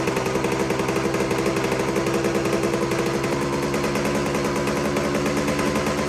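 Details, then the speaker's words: 1972 Suzuki TS185 two-stroke after new top end, outdoors: crisp, even popping holding steady idle, no hunting or stalling; idle fixed by backing off overtight handlebar throttle adjustment and resetting carburetor idle. "Listen to that. She's idling really nice now. It was something real trivial too. It was the throttle adjustment up on the handlebars."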